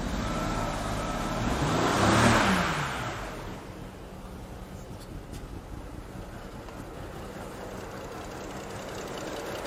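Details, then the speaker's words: 2010 BMW 535i E61 wagon (automatic, AWD, auction car) with low fuel rail pressure, revving then sagging and fading, running rough and dying. Misfire codes are thrown on cylinders 1, 2 and 4; plugs are pulled next. "yep it's even worse it's dying all right I finally got it to throw some codes and it's throwing misfires on one two and four"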